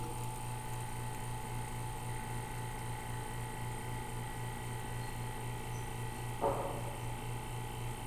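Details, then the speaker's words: Homemade auto-cycling vacuum pump for vacuum bagging, built from a kit with a MAC valve, first test after wiring. Quiet, steady low hum with even tone, no rattle or surging. Cuts off around -17 and holds -16 to -18; normal running. "Turned off at around 17, negative 17. So that's pretty good. It runs nice and quiet."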